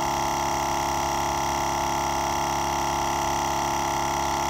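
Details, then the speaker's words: GSPSCN 12V dual-piston portable air compressor inflating a flat load range E BFGoodrich KO2 truck tire: a steady buzzing hum with a quick regular pump pulse and no knocks; quieter than expected; running healthy. "i really thought it'd be a lot louder it is this is a dual piston it's slowly going up"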